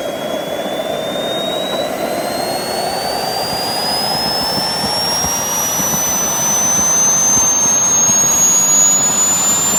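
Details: JetCentral turboprop turbine on a test run, with a temporary wrong-size propeller: a smooth high whine climbing as it spools, no surging or rattles; it runs healthy.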